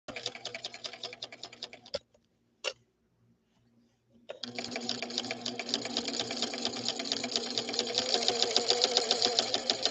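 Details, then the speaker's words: Sewing machine recorded very close up while running: a fast uneven thumping, about three to four beats a second, over the running clatter; something is wrong inside. "give this a listen I'm going to get you really really close to the machine this is not how a Swedish beauty should sound not even close"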